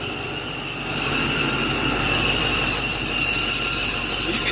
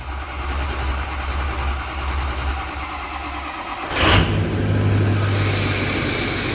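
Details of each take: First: 6.0 Powerstroke diesel at idle, before new turbo and uppipes: steady airy hiss with thin whistling over quiet idle, coming from one side only; other side quiet. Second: 2005 Ford 6.0 Powerstroke after new turbo and uppipes: starter cranks, diesel catches at once and settles into steady even idle; this side of the exhaust is quiet with no hiss or puffing, hissing only on the other side; normal idle.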